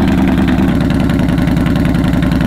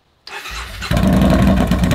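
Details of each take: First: 2015 Yamaha Bolt R-Spec V-twin after Vance & Hines exhaust baffles were installed on an exhaust that had been running baffle-free; low even thump at a steady, clean, settled idle, no longer the earlier lumpy blubbering. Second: 2015 Yamaha Bolt R-Spec with exhaust baffles removed, which also causes stalling: short crank, then deep, blaring, uneven twin idle that maxed out the audio; excessively loud exhaust.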